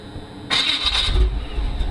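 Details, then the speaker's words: 1985 Chevy truck with damaged flywheel spots, before flex plate replacement: brief raspy crank with a faint metallic edge, then catches to a low idle; starter grinding judged not as bad as expected. "all right let's crank this up so you can hear how bad it is it's bad"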